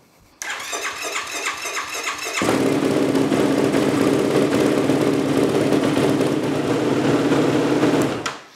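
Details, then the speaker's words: Yamaha YFZ450R ATV single-cylinder engine after top-end rebuild, first start after refilling coolant and repriming fuel: cranks briefly, catches cleanly and settles into a steady, even idle with no knocking or rattles; sounded pretty good, healthy start. "that sounded pretty good."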